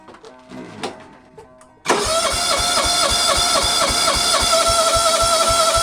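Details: Kawasaki FB460V small engine, after years on ethanol gas and suspected carbon fouling, with new plug and a bottle of Seafoam: catches after a couple of cranks, steady even beat about 230/min, clean, no misfire; sounds really good.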